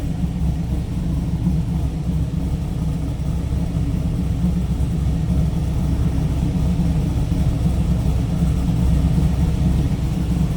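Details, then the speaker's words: 2002 Chevrolet Camaro SS, 5.7 L LS1 V8, 26,382 miles, 6-speed manual, cam, cold air intake, headers, no cats, true dual exhaust, no check engine light: deep, steady, slightly lumpy idle, no knocks or ticks; healthy. "And you can also hear that LS1 5.7 liter. It sounds healthy."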